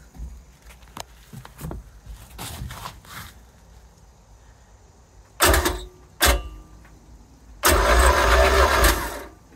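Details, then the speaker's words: Dry compression test cranking cylinder 2 on a MerCruiser 3.0L 120 hp marine engine, ignition disabled; uneven, lopsided cranking rhythm, cylinder 2 stays at 50 psi versus 95, 90 and 120 psi on cylinders 1, 3 and 4. "let's see what I got yeah still 50 the second cylinder is not good it's still 50 let me crank it one more time see if it's going to change it's still at 50"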